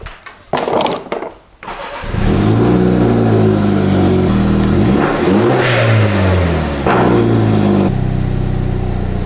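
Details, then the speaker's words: 2016 Mini Cooper JCW F56, aftermarket tune, after installing NGK iridium plugs gapped .060" and Dinan coils: cranks briefly, catches cleanly, quick rev, then steady even idle with no stumble or misfire; normal start and idle. "all right so as you can hear um the car started normally it's now idling normally sounds fine performs fine and i'm not having any misfire or other issues"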